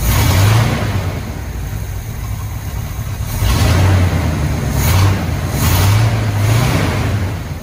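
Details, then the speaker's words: Squarebody Chevy C20 V8 just after a new distributor rotor was fitted; carburetor accelerator pump diaphragm is failing. Steady low idle with a soft, even rumble, a few gentle swells and no stumble or miss. Normal idle. "i'm gonna start it up and let it idle and see if it idle smooth"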